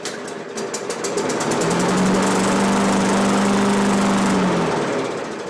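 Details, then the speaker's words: Free Craftsman push mower that had just stopped running, spark confirmed, fuel primed into the carb with an empty gas tank: pull-start pops, buzzes steadily about three seconds, then sags and stops; runs briefly then dies from fuel starvation. "let's give it a little bit more it's not like i wanted to keep going although there's no fuel in the gas tank"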